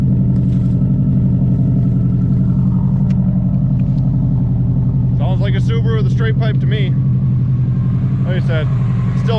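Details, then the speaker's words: 2002 Subaru WRX with straight pipe, still smoking and seemingly running rich: loud lumpy idle with uneven beats and occasional skip; owner suspects fitting the missing injector plug may cure it, unconfirmed; rough idle with occasional misfire. "still misting a little bit I gotta get that plug put on there and maybe that'll solve it"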